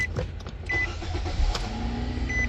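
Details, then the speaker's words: 2016 Nissan Rogue after repairing a no-start by splicing the suspected BCM-to-IPDM start signal wire; chime beeps, brief crank, immediate start and smooth steady idle. "She starts like a dream now again."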